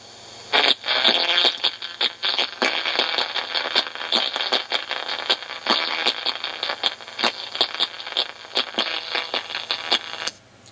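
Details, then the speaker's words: 1982 Ford Industries model 1100 telephone answering machine (DC bias, 1/8-inch reel-to-reel tape) playing a recording made with no bias: harsh, crackly, choppy, thin buzzy sound with almost no bass. "you got any recorders that sound like that, possibility is that the bias oscillator is not working at all. Or if it's DC bias, that there's no DC bias coming into it at all."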